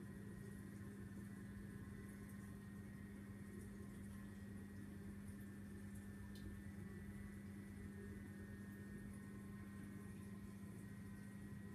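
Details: Vortech MP10 QuietDrive pump after a month of use: a constant low electrical hum at one steady pitch with a faint higher whine, likened to a new diesel engine; the drive motor runs louder than it should.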